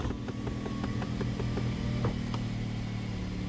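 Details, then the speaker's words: 2010 Dodge Avenger SXT just started after replacing ignition coils and spark plugs for a cylinder misfire; smooth, even low idle with steady beat, no stumble or skipping, far better than the misfire before. "so here's the moment of truth does it sound different a thousand times"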